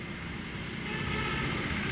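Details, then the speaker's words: Mahindra Bolero pickup diesel after key coding and clearing faults fixed a no-start (no DTC, no warning lights), restarted: starts smoothly, steady even running with low rumble, no misses, knocks or hunting. "బండి అనేది స్టార్టింగ్లో ఉంది. మళ్ళీ of చేసి కూడా start చేస్తున్నాను. చూడండి friend, ఎంత స్మూత్గా స్టార్ట్ కూడా అవుతూ ఉంది."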